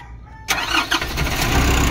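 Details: Nissan NV350 van that had hard starting and low power: brief crank, then the engine catches cleanly and settles into an even, steady idle. Starts normally.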